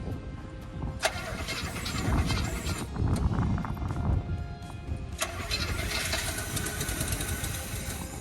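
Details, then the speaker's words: 1972 Chevy C20 3/4-ton, factory 402 big block, automatic, first start with fuel poured down the carburettor: catches with a loud burst, runs rough a few seconds, then dies to cranking; no fuel coming from the mechanical pump. "Oh, I can't believe that. That's freaking amazing. No fuel's coming out of the pump."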